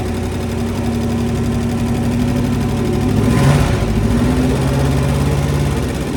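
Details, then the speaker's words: 1966 Dodge Coronet wagon Poly 318 V8 with points ignition, run on the ground during engine removal without coolant: steady idle with a light, quick ticking over the rumble, suspected lifter tick on one bank. "got a little bit of a lifter tick on the other side it sounds like can't run it too long here we don't have any water in it"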